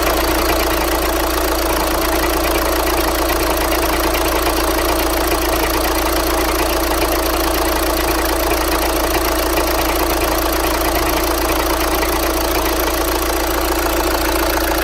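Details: 2012 Volkswagen Jetta TDI Highline diesel idling with a dense, steady clatter and a faint knock about once a second; engine knock at idle, cause not confirmed.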